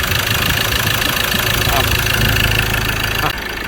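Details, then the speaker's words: Ford Ranger T6 2.2 diesel at about 300,000 km, weak acceleration and heavy smoke, with vapour jetting from the breather and dipstick. Loud, uneven idle with a loose clattering knock: a worn engine with blow-by, overhaul planned. "ในรุ่นของfordranger2.2ที่6กับอาการนี้นะครับเร่งรถไม่ขึ้นมีควันออกมาเยอะแล้วก็ท่อระบายไอมีไอพุ่งขึ้นมานะครับ"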